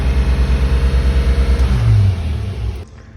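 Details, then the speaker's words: Car on first start after a Holley Sniper EFI install: uneven, loping idle pulsing about three times a second, then a short rev before it cuts out; unsteady running from a vacuum leak. "But look, we've got the car running. We've got a vacuum leak. That's the first thing."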